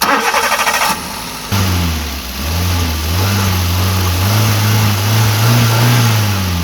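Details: Maruti Wagon R after air filter replacement to fix an odd engine sound in first or second gear and on sudden acceleration: catches cleanly, steady idle, revs smoothly with no odd noises.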